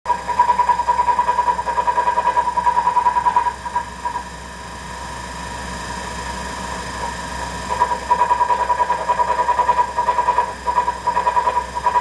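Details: Treadmill rumbling noise: low rumble and steady hum rising and falling with footfalls, coming from the drive motor; the front roller was already replaced with a new one and the noise remained.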